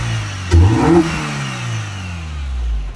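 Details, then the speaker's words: EP3 Honda Civic Si that sat about 8 years: steady, even petrol idle with no misfires, but a loud whirring, rattly noise from the noisy front accessory drive pulleys. "you can mostly hear it from the front's so loud because the accessory drive's so noisy."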